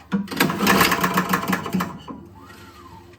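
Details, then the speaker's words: Toro Power Clear single-stage snowblower that backfired loudly on pull start and won't start; pulled over slowly with key out, an uneven run of clacks and knocks per stroke; owner suspects the piston or something inside is loose; oil present, looks old. "It sounds like the piston or something in there is flopping around."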